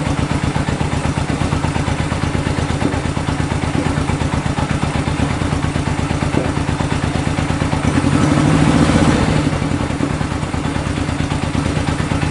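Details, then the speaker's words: 1965 Honda CB77 Super Hawk 305 twin, sat 20 years, running on the lift after a carb clean and fresh fuel, with no air filters fitted. Even, steady idle that picks up cleanly on a brief throttle blip. Normal idle. "all I had to do is clean out the carbs put some fresh fuel in it fired right up that is awesome"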